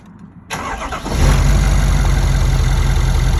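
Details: 2017 Ford F-250 6.7 diesel, 98,000 miles, idling after start with fast light "sewing machine" ticking from right head area; stethoscope traced it to fuel rails at CP4 high-pressure pump, loudest at injector 7; clank at shutdown also heard; cause unconfirmed.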